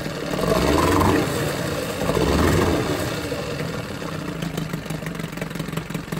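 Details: Johnson 9.9 two-stroke outboard after carburetor kit rebuild and new gapped plugs: steady putter swelling and settling slightly as mixture is set, then an even, quiet idle; normal idle.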